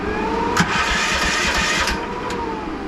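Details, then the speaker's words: 2023 AGT Industrial Chinese mini excavator after fixing a just-clicking no-start by cleaning a bad connection inside the switch: short crank, catches with a quick rev and settles into an even run; starting normally. "CU this one is working like it should so hopefully that helps you out a little bit if you have a no start issue"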